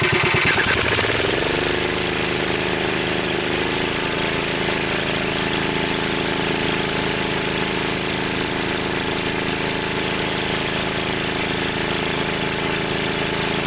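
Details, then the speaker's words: Wheel Horse 753 single-cylinder tractor with electric start refitted: a steady run with a hard, rattly chatter that grows worse; flywheel checked and still tight, so the noise is traced to a rubbing guard. "Okay, it's still tight. So I think it's that guard."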